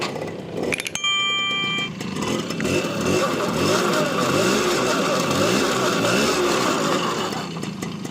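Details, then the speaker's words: TVS XL Heavy Duty two-stroke moped after a full engine rebuild and fitting, first start; puttering at an even fast idle with a light rattle on top, steady and clean; running well, extra oil in petrol advised to smooth it in. "చాలా బాగుంది engine beating కానీ."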